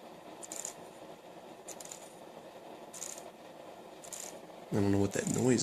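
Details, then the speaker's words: Car radio bench-tested off a computer power supply, no speakers connected, CD playing: quiet bursts of light clicking roughly every second; the CD mechanism seems to get caught and stick, cause unknown. "that noise is that it keeps making, though. That's kind of annoying."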